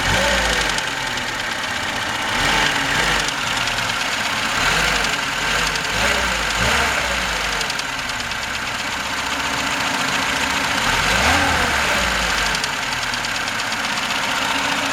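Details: VAZ 21063 engine at idle: steady metallic tapping knock ticking evenly over the engine note; source undiagnosed, cause suspected but not confirmed.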